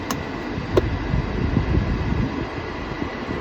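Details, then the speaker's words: 1985 Mercedes 500 SEC climate control test: two quick flap thunks as the vents switch between defrost, low/high and dash, then an even blower rush with no rattles or scraping; all flaps work as designed. "all the vents and all the valves function as designed"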